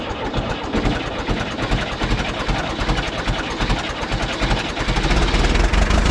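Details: John Deere 450 bulldozer diesel, cold start: loud, clattery diesel beat holding a steady pace and building slightly after the cold start, no misses; running normally.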